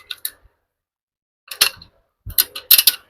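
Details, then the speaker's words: Perodua Myvi rear wheel bearing replacement, torque wrench set to stock 80 Nm on rear hub bolts: sharp bright clicks in short clusters as the wrench breaks over at set torque. "okay, ni ikat tu sampai ada bunyi klik, dia dah sampai tu."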